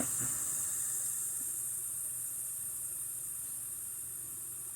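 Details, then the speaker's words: Embraco fridge compressor on 120 V with a thumb over the suction port, a slight vacuum leak possibly remaining: steady high hiss fading slowly over low motor hum, quieter on the high-pressure side; compressor pulling vacuum normally. "quieter on the high pressure side because of those little it's pulling a vacuum on my thumb right now you might get a hickey on it pretty soon"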